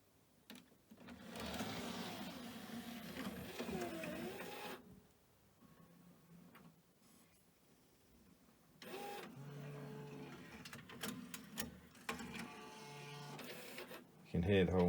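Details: Pioneer DVL-K88 laserdisc/DVD/CD player bought as junk from Japan, loading a DVD: short bursts of motor whirring and clicks with quiet gaps as tray and mechanism shift; normal, healthy loading mechanism.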